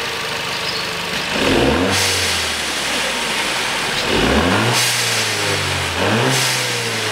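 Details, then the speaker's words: 2014 Volkswagen Beetle 1.4 turbo, code P0236: three quick revs, each bringing a loud airy hiss swelling with the engine; boost sensor torn out of intake manifold with its flange, leaving an open hole. "слышно как шипит воздух Давай смотреть осматривать е увидел на коллекторе сейчас если камера поймает вон отверстие вырвало датчик надува вместе с креплением с фланцем"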